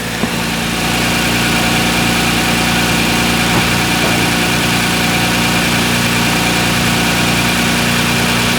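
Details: Kia Stinger GTS 3.3t, 66,000 miles, a little over 5 years old, stock intake box before HPS cold air intake install: smooth, even note lifting gently to about 2,000 rpm and settling, no knocks; normal light revving.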